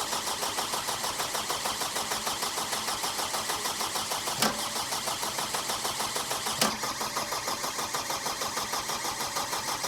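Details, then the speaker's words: Power Trac 1850 diesel mower tractor: steady starter cranking about three turns a second without firing to purge air from the fuel system, bubbles still in the line; cranking to bleed air. "just let the engine turn and we're going to purge all the air out of there and then we should be ready to fire it up"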